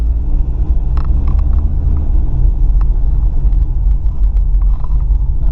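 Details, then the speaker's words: Toyota RAV4 (3S-FE, 1996–2000) after the exhaust leak was fixed, driving: steady low road rumble with no puffing or ticking, much quieter; normal, sealed exhaust. "all right so here's the after sound of what it sounds like much quieter"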